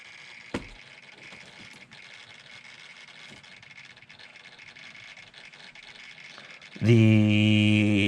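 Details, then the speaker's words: Dodge Stealth, engine not running, during fuel pump wiring troubleshooting: sudden loud steady low buzz from the idle air control valve energised when it shouldn't be; wiring fault suspected, not confirmed. "a the control valve is Going Bonkers right now so something is wrong with that wiring cuz this shouldn't be powering that so probably not resolved"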